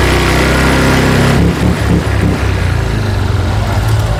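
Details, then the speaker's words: Honda Vario 125/150 scooter after fixing the injector that caused stumbling and low power at low rpm, held at 1500 rpm then raised to 3000: clean, even, steady drone, no stumble or misfire; normal revving. "normal ya. Jadi udah enggak nyendat-nyendat lagi."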